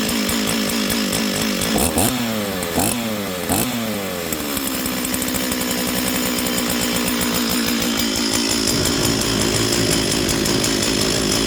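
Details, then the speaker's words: Stihl 044 chainsaw, long unused, revs up and drops unevenly with stumbles before settling to a burbling idle; low-speed mixture seems rich. "well it seems to be running I don't know thing still I'm just going to get get rid of some low jet"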